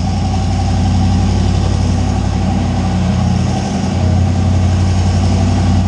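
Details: Deep, even idle rumble holding steady with no misses, knocks or hunting from a 358W 80mm-turbo Fox Body V8 after the injector ground was connected; idling cleanly and healthy.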